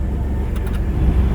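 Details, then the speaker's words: Chevy Blazer 4.3L V6 that cranked but wouldn't start, after replacing distributor cap and rotor: deep, smooth, steady idle with no misses or stumbles; running well, codes still to be cleared. "But now we know it's all done. I'm gonna have to drive it to clear the codes or reset the codes. But you know, it's running good."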